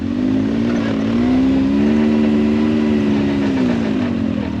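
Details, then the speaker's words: Can-Am Maverick X3 under load after fitting the new secondary clutch spring: firm steady drone rising and falling gently, no flaring or surging; vehicle asks for low gear instead of slipping; CVT belt grips, no belt slip. "that means you got no belt slippage whatsoever like watch this here i don't know if you can see that in the gauge there let's press on it it's asking me for low gear it won't even slip with that spring now in low gear"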